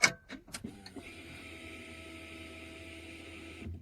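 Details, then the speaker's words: No-start car with silent fuel pump, after tapping the pump harder, key on: a few taps then thin steady hum about three seconds and stops; failing pump revived by knocking, engine then starts immediately, pump replacement confirmed needed. "that humming sound you just heard is the fuel pump coming back to life."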